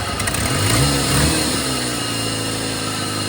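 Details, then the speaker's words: 1997 Jeep Wrangler TJ (2.5), sat long on bad fuel: idle wanders up and down, hunting between about 200 and 1,000 rpm before settling unevenly; surging idle, suspected stuck injectors or throttle position sensor, later traced to faulty throttle position sensor. "Okay, so we had super erratic idle. So, we just hunt back and forth uh between like 200 RPM to like 1,000."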